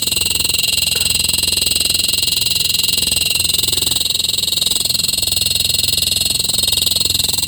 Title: How do i stop my fridge fan from making noise#Lg fridge sound,